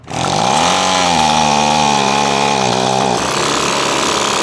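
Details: Echo PB-250LN leaf blower after turning the carburetor screw counterclockwise a smidge to cure bogging off choke: two-stroke fires and holds a high, even buzz without bogging or stumbling, steady pitch; runs clean.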